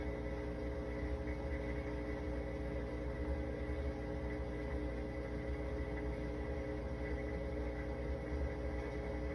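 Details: GE dishwasher running with a constant low humming drone, steady tones and no cycling or splashing; cause not identified.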